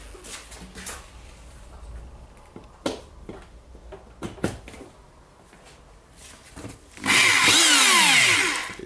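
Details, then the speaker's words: Hitachi/Koki DH28PCY rotary hammer after overhaul, first test run before fitting tool holder parts: after handling clatter the motor spins up to a smooth, even whine in both directions and coasts down cleanly; normal. "spins. Yeah, to the both directions."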